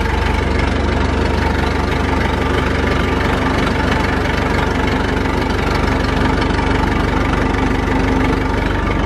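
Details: Massey Ferguson 165 tractor, four-cylinder Perkins diesel, tight and in good shape, started after sitting, no smoke: even, steady diesel clatter at settled idle, about four beats a second, no misses or knocks; normal idle.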